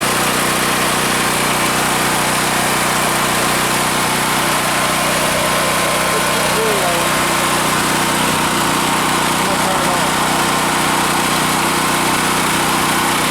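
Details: Generac 5500 generator after fixing a no-start caused by a rust-clogged fuel shut-off valve screen in the tank; tank cleaned, carburetor cleaned but nearly debris-free. Steady, even drone, no surging, hunting or misses; runs normally.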